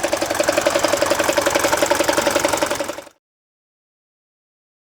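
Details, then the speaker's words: Mercedes OM601 diesel, warm idle, oil pressure about 0.5 bar: sharp regular metallic rattle near four beats a second, gone with raised rpm and when cold; failed head gasket bleeds tensioner oil feed, loose timing chain tensioner rattle, fixed by head gasket replacement. "В этом месте прокладка выходит из строя , и часть масла перестает поступать к натяжителю. Натяжитель начинает шататься, издавая"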